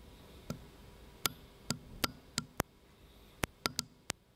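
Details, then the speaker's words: BMW F11 5-series air suspension not raising despite replaced air springs; microphone on compressor vent solenoid as it is energized: hard audible clicks and softer clicks, pointing to a sticking, corroded solenoid valve. "Now I noticed that in the video you could hear two kinds of clicks. A hard click, which I could also pick up with the naked ear, and a softer click when I couldn't hear anything at all, but only the microphone picked up"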